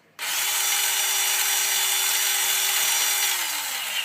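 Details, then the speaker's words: Traxxas Slash 2WD RC truck at full throttle: a steady high whine that then winds down with no load; the motor spins freely but the truck does not move, from a stripped transmission. "So you get the idea. It's not moving. You think, oh my God, there's something horribly wrong with it."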